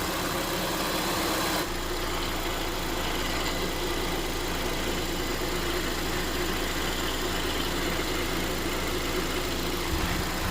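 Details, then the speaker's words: 2022+ Honda Civic 2.0L LX after removing debris behind crank pulley, restarted with new serpentine belt installed: even, steady idle, no knock, squeal or chirp; engine and belt drive clean. Normal idle. "We're gonna start the engine and take a look again and listen if that sound is back. So seems like it's okay. Seems like it's okay."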